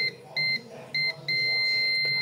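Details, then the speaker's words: Digital multimeter on beep/diode range, red probe on motherboard ground: short beeps on the capacitor's negative end, then a steady unbroken tone on the other end; beeping on both ends means the capacitor line/motherboard is shorted. "তারপরে আরেক প্রান্তে ধরবেন, এই ক্যাপাসিটরগুলো মূলত short রয়েছে। মাদারবোর্ডটা হয়তো short রয়েছে, সে কারণে দুই প্রান্তেই বিপ দিতেছে।"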